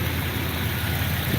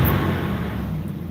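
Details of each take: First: Stock 5.9 L 360 V8 truck with Mopar Magnum valve covers idles with a deep, steady low rumble and even beat, no knocks or misses; normal idle. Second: Dodge R/T truck V8 just started at idle: a deep, steady, loud roar with a heavy low rush over the engine and no knocks; noisy viscous clutch fan pulling hard.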